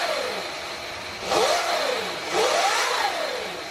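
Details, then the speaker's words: Sur-Ron Light Bee MX electric motor with KO Factory Spec controller, revved after throttle calibration finally worked: clean electric whine rising and falling smoothly through two throttle blips, no rattle or hesitation, sounds powerful and healthy. "Wow, it seems really powerful."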